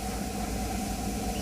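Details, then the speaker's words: Water pump motor running: even, steady hum with a faint constant tone, no chatter or rattle; the earlier loud starter noise is now much reduced to normal, though voltage could also cause such noise. "पहिला भरपूर असा आवाज येत होता, परंतु आता नकळत नॉर्मलसा आवाज मित्रांनो येथे येत आहे."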